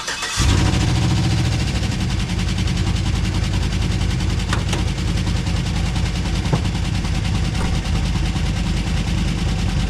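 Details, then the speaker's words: Chevrolet Tahoe started for warm-up after head gasket fix and oil change with bottom end sprayed out: catches after short crank, fast busy rattle and tick over heavy rumble; owner suspects lifter tapping or rods. "The truck now, since I changed the oil and tried to spray out the bottom end some, is now making a lot of noise. Lifter tapping, could be rods, I don't know. It's making a lot of noise in the engine, a lot of rattling."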